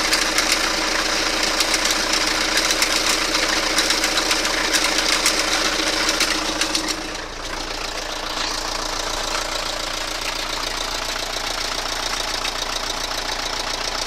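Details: Toyota Carina engine at idle: sharp metallic knock about three to four times a second from low in the engine, sump area; metallic engine knock.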